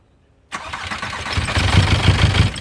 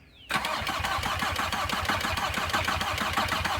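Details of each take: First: VW Passat B4 diesel, first start after a full engine rebuild of the head and bottom end, with fuel lines bled: a short crank, then it catches cleanly into a steady, even chug with no misses or knocks; normal start. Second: VW Passat B4 diesel, whole engine rebuilt, cranking to bleed air from injector lines with fuel oozing out: starter turns slowly and unevenly for about eight seconds without firing; battery a little weak.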